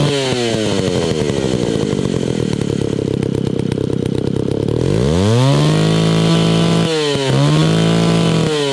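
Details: Old, beat-up Italian-made Alpina Pro 120 chainsaw, 120cc, with a 25-inch bar and .404 chain, carb kit just fitted, low compression suspected from a worn piston and cylinder. It is slow to start, then revs high, wanders and hunts; the carburetor adjustment won't stay, so idle won't settle.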